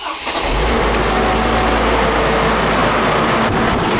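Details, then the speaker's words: 2002 Chevrolet Trailblazer, about 200,000 miles, right after cold start following fan work: steady loud jet-like whooshing roar over the engine that fades as it warms; normal engaged fan clutch. "when you start your trailblazer up it should sort of sound like a jet a little bit"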